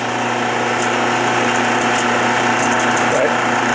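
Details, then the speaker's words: 1976 Westinghouse electric dryer, 43 years old, running empty: constant drone with light scraping rub and faint rattle; worn bronze motor bushing tilts the pulley so the belt rides on the tension idler's edges, also causing hard starting. "You can hear that little bit of rub. Part of the noise on here is because of the rattle because the belt is riding against the idler, the tension idler."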